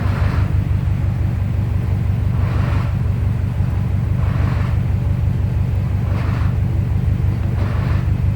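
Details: 2002 Subaru WRX with new Competition Clutch kit, lightened flywheel and TSK2 throwout bearing under 200 miles; light rattle in bursts at idle when pressing clutch, louder when warm; release bearing rattle fixed by adjusting clutch pedal.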